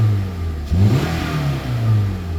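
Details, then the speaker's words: 2018 Toyota RAV4, 139,959 miles, pre-purchase inspection, running: smooth low idle swelling cleanly with throttle blip, no knocks or rattles, no smoke; engine sounds healthy. "Engine sounds good."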